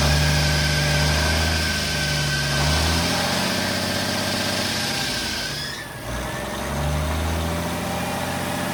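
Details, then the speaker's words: Freightliner cabover semi truck with Detroit diesel, new belt fitted: steady, smooth low diesel idle rumble, no misses or knocks, building air quickly, no smoke; small exhaust leak on one side; normal idle. "So, uh, he is a cleaning runner. No smoke out of this thing at all."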